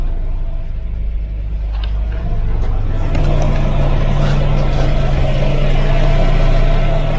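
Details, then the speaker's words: 1988 Volvo 740 GL 2.3 petrol B230F after almost 10 years stored, new fuel pump and filter, started with starting spray: deep, even idle settling into a smooth low rumble, no tapping or piston slap; normal idle. "deep breath and guys no piston slap ah no noise from the engine is perfect"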